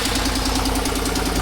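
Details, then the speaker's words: 2018 Chevy Silverado after water pump replacement, before warm-up: sharp, even ticking about ten a second from an exhaust leak at a broken exhaust bolt on the back side of the header; it quiets a lot once warm. "There is a ticking noise. I looked at it the other day. The ticking noise is coming from a broken exhaust bolt on the back side of the header."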